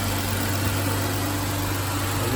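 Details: A 2014 Chrysler 300 petrol V6 idles smoothly with a steady low hum and no valvetrain ticking, after rocker arm/lifter replacement for a ticking noise.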